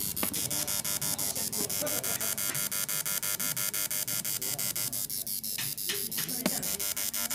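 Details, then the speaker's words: Yamaha Mio J fuel injector pulsed on a tester off the bike: sharp ticks about three per second sounding abnormal; injector sprays continuously, suspected weak solenoid or dirt holding it open. "denyutannya seperti ini teman-teman dengarkan tidak normal yang seperti ini Seharusnya suaranya bukan seperti ini"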